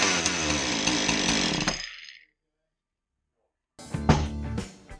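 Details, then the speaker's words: Husqvarna 435 chainsaw after repairing the bar oil pump for a not-oiling complaint, test run: the small two-stroke engine runs at a high, even buzz, then shuts off. Sounds healthy. "Once we get the oil in here, we're going to fire it up and see if it oils."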